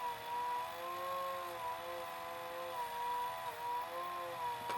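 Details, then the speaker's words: Pye VRD-300L VCR with 1992 Daewoo chassis, running to the leader tape: wavering whine that sags and recovers as the worn belt slips with heavy friction, motor labouring, then a click at the end; slipping drive belt. "Surprised it's not smoking by now. Must be quite a bit of friction of this thing slipping against the belt."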